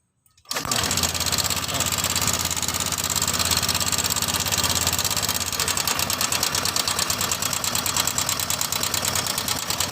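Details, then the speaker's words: Honda Vario 150 scooter engine at idle, noisy for a week: fast, even metallic ticking from the valve, camshaft and cam chain area on top. Cam chain tensioner noise; the top end is to be dismantled for checking. "Suara antara di bagian klep dan noken dan rantai keteng ada suara yang berisik, dan ini ntar saya akan bongkar terlebih dahulu."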